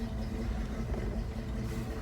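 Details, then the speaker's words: 1970 Ford Bronco V8 with MSD ignition, warm after a four-to-five-mile drive: low even rumble, smooth steady beat, no knocks or misses, clean exhaust without oil smoke; normal idle. "you can see it's not burning oil burning pretty [Applause] clean sounds pretty bad ass"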